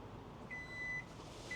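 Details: Kia EV9 power liftgate closing from a single press of the button on the tailgate itself. Steady high beeps over a quiet motor hum as the tailgate powers shut; normal warning beeps.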